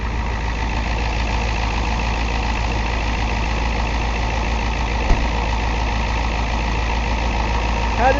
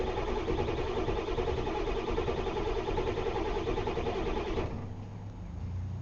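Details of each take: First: 1990 Ford F250 Lariat, 7.3 L International diesel, 5-speed manual, over 200,000 miles, hard cold starting after sitting. Warm restart idle: steady, even diesel clatter, no stumble or misfire; only the initial cold start is problematic. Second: 1990 Ford F250 Lariat 7.3L International diesel, 5-speed manual, cold start after sitting overnight, glow-plug light cycled first: steady cranking chug about three beats a second for several seconds, never catches. Long crank, no start; cause unknown.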